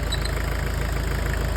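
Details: Car after lubricant was applied to the belt to cure a squeak: a steady, low idle with an even pulse and no squeal or chirp; the belt drive sounds quiet and healthy.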